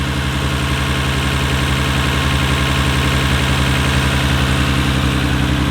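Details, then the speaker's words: 1993 Nissan Skyline R32 GT-R with HKS Super Power Flow intakes, idling in neutral: smooth, evenly paced deep beat of about four pulses a second, no shake, misfire or knock; very little vibration, always reliable. "that's the car it sounds good and it's it's always been damn reliable"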